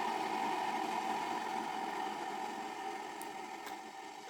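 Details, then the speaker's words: Electric kettle running before disassembly: steady rushing hiss with faint bubbling rumble that slowly settles as water boils normally; kettle working fine. "You can hear the voice of water boiling, so it is running completely fine."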